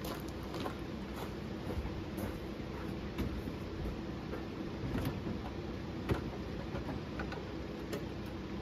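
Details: Late 1931 Ford Model A, run after fuel-system work with lines reconnected and a leak check still dry: slow, even low idle with light regular ticking about three times a second, no stumbling, steady normal idle.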